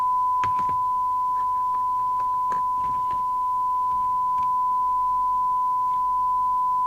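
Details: 1981 Rotel RVC220 (Cybernet 134) UK FM CB radio after extensive repair, receiver alignment check with 100 µV from signal generator: clean steady tone near 1 kHz, no hiss, warble or dropout; alignment spot on, receiver working correctly.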